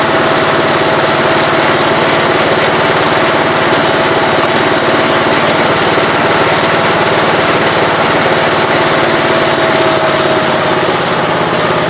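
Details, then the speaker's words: 1969 Gravely 432 after carb adjustment: the idle was adjusted and the main jet, which was out too far, was leaned and the carb cleaned. Steady, even single-cylinder beat with no popping or banging on throttle, running well. "so just doing the core of in there pretty good now it's running amazing"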